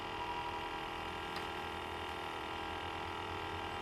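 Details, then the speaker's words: Chrysler TC project car that has sat for a long time, key on with engine off; steady mid-pitched electrical hum of unknown source. Starter and fuel pump relay is not working. Electrical hum with key on. "I don't know what that noise was the the humming noise whenever I first went to Keyon we're trying to figure that out"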